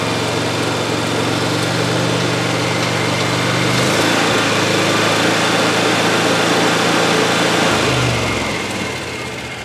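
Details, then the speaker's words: 2018 Mahindra Retriever 750 UTV V-twin revved during a stator AC check (14.5 V): an even twin-cylinder drone that rises smoothly with no knocks or misses. Normal revving; the charging fault lies past the AC input wires. "Go ahead and give her a little fuel. Increase the RPMs a little."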